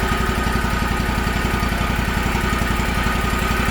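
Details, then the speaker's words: Gravely 260Z zero-turn mower (about 2006) with a Kawasaki FD750D engine that had surged for years, after a replacement carburetor, not fully warmed up: an even, steady low thrum with no hunting or surging. Normal idle. "Burn like a kitten. No surging at all. Of course, not totally warmed up yet, but sounds pretty good. Sounds great."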